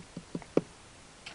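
A few faint, irregular clicks, about four in a second and a half, over a quiet hiss; stray clicking through the speaker, source unclear.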